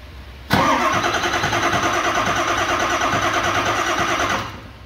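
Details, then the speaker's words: 2000 Ford F-350 7.3 Powerstroke that dies when warm and cranks no-start hot, during an HPOP dead-head test with the IPR fed: even starter churn for about four seconds. A good high-pressure oil pump building pressure normally. "there we go so that's what a good pump would do"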